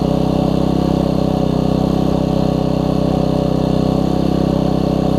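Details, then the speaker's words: Troy-Bilt Tuffy tiller, Briggs engine, after fitting a brand-new carburetor and diaphragm: small single-cylinder engine popping at a steady, even rate of about three beats a second, no surging or misses; now runs better. "as you can hear that's better"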